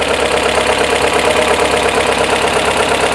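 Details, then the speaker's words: Pushrod Volvo B18/B20 engine in a 544, just started after valve adjustment with cover refitted: light, quick, even sewing-machine ticking over steady idle; normal valve tick from a well-adjusted rocker assembly. "And you can hear the valves kind of doing their thing. It kind of sounds like a sewing machine."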